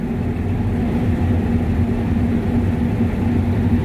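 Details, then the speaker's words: Combine running after the tailings chain was tightened slightly: steady, even engine drone with a smooth chain rumble and the earlier squeak gone; it sounds normal. "Actually, I'll probably get out and look too, but sounds okay from here."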